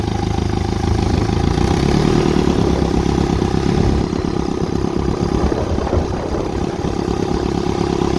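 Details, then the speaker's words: 1955 Ferguson TE20 (TEF) diesel tractor after fuel system work, running in gear without the air filter fitted: steady diesel clatter under a loud turbo-like rushing intake hiss caused by the open intake. "It's a bit noisy on that air intake, so don't mind that."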